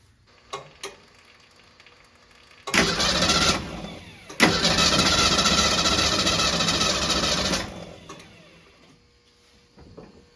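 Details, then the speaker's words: 1966 Ford Mustang after years sitting in a barn, transmission fluid in the spark plug holes, no start attempted: starter spins the engine over freely at an even, steady rhythm for several seconds, no binding or clunks; cranking healthy. "we're not gonna try to start or anything because I'm gonna do a full fluid change spark plug change I'm going to try to clean the carburetor up a little bit but we'll see but for now let's just see if it cranks over"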